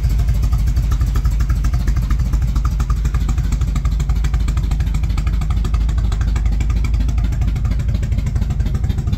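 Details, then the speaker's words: 1978 Chevrolet Monte Carlo V8, rebuilt 2004 with probably under 50 miles, after sitting for months: loud lumpy idle with uneven beat and irregular stumbles; rough running, stalled once; owner says it needs timing work, plugs and tune-up. "well as you saw the motor does need a lot of TLC it turned off on me once on camera"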